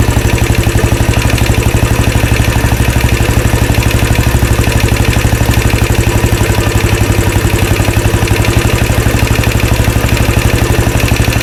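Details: 2013 Royal Enfield Classic 500 single, rebuilt after teardown to remove stray M5x35 bolts: decompressor noise gone, loud steady idle with a regular metallic rattle on every beat, about four a second; oil level okay, owner to check tappets and rockers, source unidentified.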